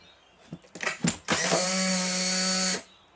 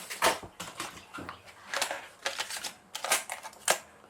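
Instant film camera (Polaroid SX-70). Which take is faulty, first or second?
first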